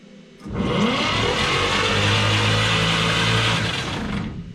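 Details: 1951 Chevy AD truck sat for years, bought on Marketplace: engine spins over steadily about four seconds, never fires, winds down; no spark found at coil wire, oil present; cranks but won't start.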